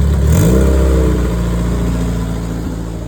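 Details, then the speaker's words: Haltech ECU base ignition timing set well off; quick throttle blip then deep, uneven, lumpy drone settling back, engine sounds unhappy; timing locked regardless of RPM, adjusting timing number in steps of 10 (entered 320) to correct rough running. "Doesn't matter what the RPM is at, it's locked."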